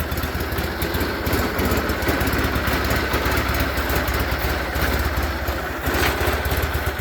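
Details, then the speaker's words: Onan twin-cylinder engine in a John Deere 318 garden tractor, after repair: previously rough, stalling and refusing throttle despite a new OEM carburetor; cause was weak spark from a bad set of brand-new parts. Now runs with an even, steady beat, no misses or surging. "we've got this one running good."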